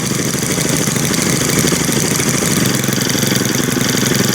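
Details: Brand-new Stihl FS string trimmer, one of three started with choke, buzzing at a steady, high, even two-stroke idle with no dips or stalling; it idles smoothly.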